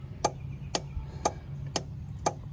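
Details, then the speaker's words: 2004 Freightliner MT45 step van, Cummins 5.9L diesel, no-start with Eng Comm Fail (P1200). A relay tested with the button shows green (good) and gives crisp single clicks about every half second, five times, then stops: normal relay clicking. "I push, and you will hear the noise. You see the relay is working over there."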